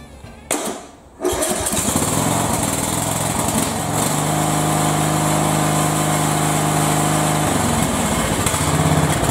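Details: Single-cylinder Briggs & Stratton tractor engine that ran wild at wide open, fixed by refitting the throttle plate whose screw had come out (not the governor); brief starter whirr then steady, even drone, no surging or racing.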